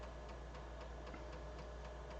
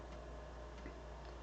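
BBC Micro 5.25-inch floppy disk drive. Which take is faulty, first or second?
second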